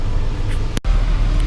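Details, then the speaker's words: 2001 BMW 530i (E39) after cooling system and heater pipe repairs, engine running with heat on full: low even hum, no knocking or ticking, brief dropout; temperature gauge rising to middle, not overheating. "i don't know if you guys can see the temperature gauge is making its way to the middle nothing's overheating so far"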